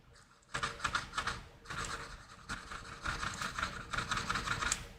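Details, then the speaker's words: Dead subwoofer from an Apple HomePod A1639 teardown, held near the microphone. Each push on the cone gives a dry, raspy scratch that stops on release: a burnt, discoloured voice coil rubbing. "not sure if you can hear that, but it sounds horrible, and it should not sound like that. And if we look in that voice coil there, we can see it's quite cruddy looking, it's burnt,"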